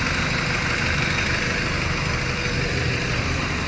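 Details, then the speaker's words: 1993 Honda Civic EG8 with D16Y1 VTEC swap after replacing connecting rod bearings (previously oil pressure light, ticking, rod knock, stalling): steady smooth idle with no knock or tick; idle no longer drops low, oil light gone. "No more knocking. Let me know what you guys think, you know? Idle used to drop really low before too. Now everything's normal."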